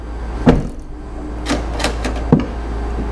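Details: 2006 Jeep Liberty (KJ) whose tailgate intermittently wouldn't open, during release testing: a few crisp, evenly spaced single clunks in a quiet garage, each release snapping cleanly with no grinding; the latch works normally.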